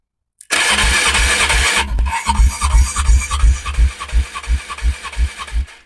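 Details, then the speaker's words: Polaris Trail Boss 330 quad compression test while cranking with the throttle closed, since the tester connects through the carburetor: the starter spins up, then slow, even chuffing at about three beats a second. The low reading comes from the closed throttle, so it must be retested at wide-open throttle. "well that's pathetic either my tester is not in there very good or she has no like garbage compression oh wait it technically is hooked up to the carburetor I forgot"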